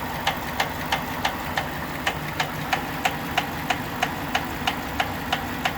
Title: Engine knock